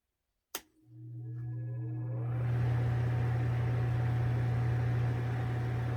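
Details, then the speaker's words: NOS ILG Industries Model 83 8-inch panel mount exhaust fan, 4-pole 1550 rpm 115 V motor, after end-play fix for shaft drumming, with blade on: click then smooth steady hum, no drumming or rattle; normal run. "that sounds so much better no more drumming i am much more happy with that"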